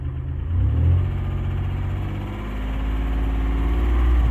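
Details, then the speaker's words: 1990 Dodge Grand Caravan V6 after fuel rail rebuild, light throttle blips: low even rumble with no misfire, seemingly running on all six cylinders. Still a little clanky, owner suspects a lifter that may quiet after a heat cycle. "sounds like we're running on all six I think"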